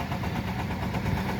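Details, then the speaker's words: 2017 Mercedes CLA250 2.0 four-cylinder, engine light flashing and blowing gassy-smelling smoke: rough, lumpy idle with an uneven beat, a misfire from the cylinder 3 fuel injector stuck open. "stuck open blowing clouds of smoke misfiring um i'll show you what that looks like standard you know misfire this feels like it's running poorly four-cylinder so it's really apparent"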